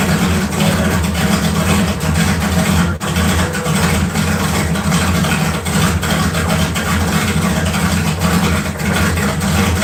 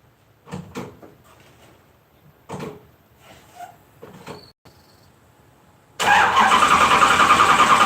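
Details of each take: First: LS 4.8 V8 swap on 60 lb injectors with a new remote tune, after struggling to run properly; steady, even deep-rumbling idle with a couple of light blips, running smoothly and healthy. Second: LS 4.8 V8 swap, just switched to 60 lb injectors from a 5.7 and loaded a new remote tune; starter cranks steadily about 3.5 turns a second but it never catches; they suspect it needs more fuel during start.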